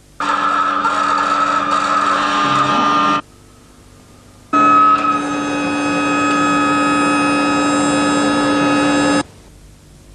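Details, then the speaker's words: Yamaha outboard power trim and tilt, manual valve turned to power tilt, motor running up or down: two runs of a steady electric pump hum with a wavering high whine; air bubbles in the hydraulic fluid, refill oil until the noise stops. "Jika terdapat gelembung udara, akan terdengar bunyi saat motor bekerja ke atas atau ke"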